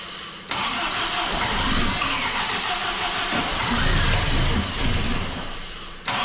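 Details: MGB engine's first start after a major overhaul and supercharger fitting, run 40 seconds without coolant: it cranks, catches, and runs lumpy at a fast idle with an irregular beat. Hard start and rough running; owner thinks adjustment is needed.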